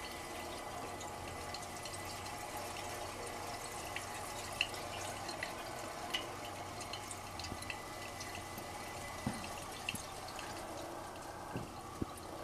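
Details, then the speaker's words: General Electric CK26 Monitor Top refrigerator, compressor running while SO2 is pumped out of the dome via the float-chamber discharge: constant fizzing and bubbling with small pops; SO2 refrigerant boiling out of the compressor oil. "So it's evacuating the gas from the compressor dome. You hear the SO2 boiling, it's mixed with"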